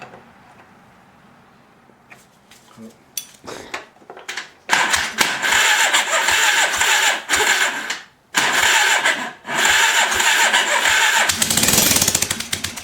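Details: Old, long-dead motorcycle being revived: starter spins in repeated bursts, about three or four turns a second, briefly seems to fire, but engine never catches; extended cranking, fails to start.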